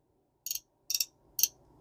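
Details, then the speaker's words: Shimano Sedona 2000RE spinning reel after cleaning and lubing, drag being worked: three crisp, light ticks about half a second apart, the normal click of a healthy drag. "that's the way it's supposed to do"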